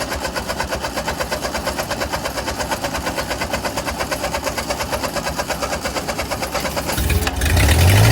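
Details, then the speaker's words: Ford 8N tractor unrun for over five years, top end cleaned but throttle shaft snapped leaving throttle about halfway open: fast lumpy chugging about three beats a second that never settles to idle, then surges louder; choke failed to regulate it. "uh-oh well i tried to uh kind of regulate that with the choke but that didn't work very well obviously"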